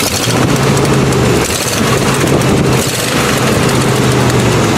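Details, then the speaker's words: Buick V8 idling after an ignition repair with the coil wire refitted: loud, rhythmic pounding and puffing. Owner suspects a bad exhaust gasket leak, possibly also a bad lifter. "and obviously the pounding you hear is all the stuff out of the bad gasket. As far as I can tell, anyways."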